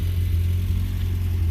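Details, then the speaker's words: 1975 VW Scirocco, revived after 34 years in storage, idling steadily and evenly with no misses or knocks; still smoking a little, owner hopes the smoke stops as it runs. "it's really nice to have it going again idling very good hopefully it'll stop smoking soon"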